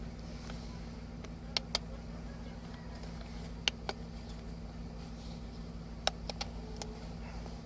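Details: VW Polo 1.2 at idle, code reader showing cylinder 1 misfire: steady low hum broken by irregular sharp pops every few seconds, stumbling idle.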